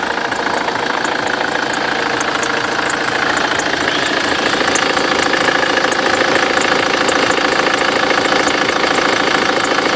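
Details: BMW X3 F25 with N47D20 diesel: idle clatter with a thin high whistle riding steadily on top, a squealing accessory belt.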